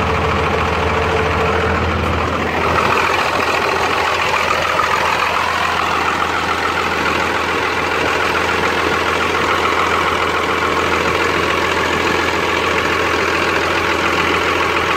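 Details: Rebuilt Cummins 12-valve diesel (.040 over, timing ~16°; injection pump ~20k ago) idles with uneven clatter and skipped pulses; worsens after a few miles or revving until it dies, runs smoother with filter drain valve open; misfire, cause unknown.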